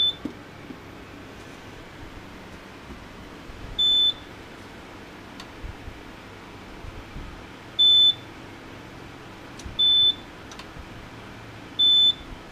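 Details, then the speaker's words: HP T1500 G3 1500 VA UPS on a 36 V sealed lead-acid pack, about 400 W load, mains removed: short high-pitched beeps every two to four seconds; unsilenceable alarm, suspected battery below operating voltage. "I can't silence that alarm. It must be, as soon as the battery light's flash, it must be below its operating voltage."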